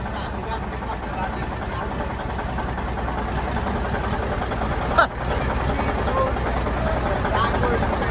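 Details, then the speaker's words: Cold start of a 1991 Autocar heavy-duty tow truck diesel: it starts right up but idles unevenly with a lumpy, stumbling beat about twice a second, as if not running on all cylinders; owner says it needs injectors. Rough idle. "Oh, I mean, it started right up. Yeah, it starts right up. It sounds like it's not running on all cylinders, right?"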